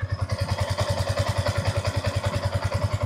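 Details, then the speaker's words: Yamaha Y15 single-cylinder motorcycle, 14,597 mileage, after basic top set (valve clearance adjustment) fixing loud tappet ticking: even low thump about 3.5 beats per second, no ticking on top; quiet normal idle after repair. "Jadi kalau selepas buat top set, apa yang dia akan rasa? Senyap lah."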